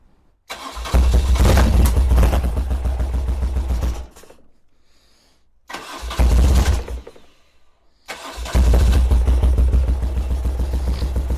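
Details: 1978 BMW R100S airhead twin after years of storage, cranked on choke with new plugs. Three bursts briefly catch, then die. It cranks but will not keep running; one carburettor looks dry, suspected fuel starvation.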